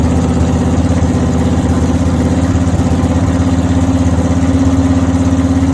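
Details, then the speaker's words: 496 big-block V8 at its first start-up, still probably needing more tuning. Loud, choppy, lopey idle with a steady lumpy pulse of about three per second. This is a normal cammed idle and it sounds good, like a race car. "That motherfucker sound like one of your race cars, Kenny. It sounds good now."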